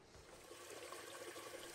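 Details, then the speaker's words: Toilet tank refilling after replacing the flapper (Korky) and adjusting the chain to leave slight slack, fixing a running toilet: soft steady trickle and hiss, no gurgle or surging; flapper should seal, refill normal. "I've let my water fill back up, and if you've set your chain to the proper length, the flapper should stay up after it's flushed and then drop back down and seal when it's finished."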